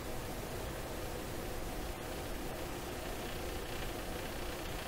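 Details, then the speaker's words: 1928 RCA Victor Model 28V radio: steady hiss-like static with a ticky, buzzy edge and no clean 60-cycle hum; owner suspects shop computer equipment or signal clipping in the radio, cause unclear. "At no time does it sound like a hum. It always sounds like that ticky stuff."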